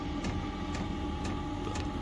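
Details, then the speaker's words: Basic Chinese diesel heater fitted in a shed, battery-powered, after self-priming, running on mode one: steady fan hum, soft ticking fuel pump about twice a second and even combustion roar; normal operation. "I'll put the diesel in as you can hear it's ticking away it's dead basic"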